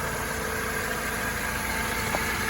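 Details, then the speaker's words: 2004 Mercedes SLK230 automatic petrol, 55,000 miles, idling with bonnet open and no warning lights: steady, even, smooth idle with no knocks, ticks or misses; engine healthy. "And now you can hear it running. I'm sure you can appreciate there are no grumbles or anything like that."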